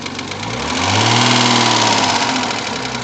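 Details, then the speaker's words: Rover 75 20K4F: sharp metallic knock about four a second as engine blips and settles; cylinder 5 held two metal fragments, apparently from prior camshaft work, one lodged between valve and seat; two valves replaced, seats restored. "Не-не-не, клапана хуярят. Не знаю, я не знаю какой цилиндр, но клапана хуярят."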